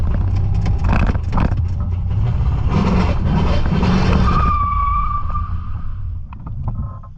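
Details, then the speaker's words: Holden VN Calais on its first drive after a build: pulling away in first after foot off the brake, the rear wheels suddenly lock with a short tyre squeal and the car stops; a seized driveline, blamed on the transmission. "That was foot off the brake in first and it just locked out the rear wheels."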